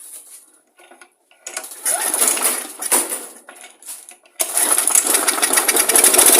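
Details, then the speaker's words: Old lawn mower engine with unknown old fuel, carb cleaner sprayed in to test: sputtering pops, then it catches and runs rough and loud at about three firings a second; it fires, confirming compression, spark and fuel. "up so there we go guys so we got we know that we've got um everything's lining up there we've got the compression we got spark fuel fired up"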